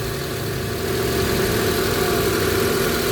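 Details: 2000 Honda Civic VTi, warm engine, owner's complaint of high idle that drops with the aircon or lights on, while the IACV/throttle body is inspected: a steady fast idle with no hunting, clearly too high. No check-engine light.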